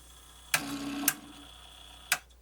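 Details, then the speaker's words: Pioneer CT-W802R cassette deck powered up opened, with one belt wrapped around the motor pulley: three sharp clicks with a brief faint hum between and no sustained motor or tape running. Transport not engaging; cause suspected, not confirmed. "it is some clicky clicky but nothing happening"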